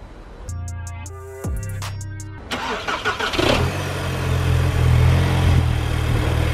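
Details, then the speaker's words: VW MK5 GTI FSI, 200,000 miles, after cam follower replacement and fuel priming: chimes, short crank, catches and settles into steady, slightly clattery diesel-like idle; normal start and idle. "It is quite noisy because these engines are quite, they sound a bit like a diesel and idle"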